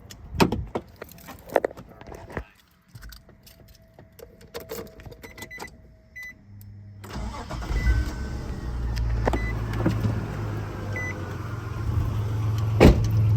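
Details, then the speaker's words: 2003 Nissan Xterra 4x4 after fuel-injector work to fix a misfire. The engine catches and settles into a smooth, steady idle with no exhaust pops, no misfire and no violent shaking as before. "let's go turn her on cuz I don't hear the pop either in the exhaust at all. I don't hear the misfire."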